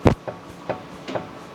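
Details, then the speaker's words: 2013 Kia Sorento on lift, front wheel rocked by hand: short dull knocks about two a second; driver reports funny steering over bumps; mechanic first suspected control arm bushings, then wheel bearing, finally worn lower ball joint. "cuz you definitely have some issues I can definitely hear a lot of clinking and clanking"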